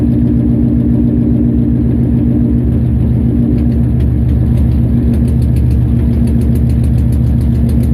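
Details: Nissan VH45DE V8 at idle: deep, uneven exhaust beat that stumbles now and then from a misfire.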